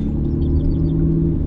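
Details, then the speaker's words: Van in Saguenay, Quebec, waiting for a mechanic's diagnosis; loud, deep hollow roar dominated by low rumble, like a big car with no exhaust, pointing to a broken front exhaust pipe; exhaust leak. "ça fait un bruit dans une grosse voiture sans échappement"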